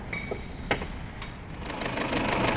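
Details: Peugeot 607 2.2 petrol after timing belt work for harsh knocking near the camshafts/timing area: cranks, catches and settles into an even, light ticking idle with no heavy knock; better than before.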